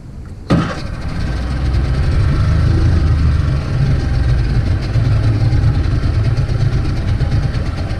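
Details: 50hp Mercury outboard on a pontoon boat that had been idling rough and stalling, heard after the fix: it starts sharply and settles into a steady, even idle of about 900 rpm, considered good.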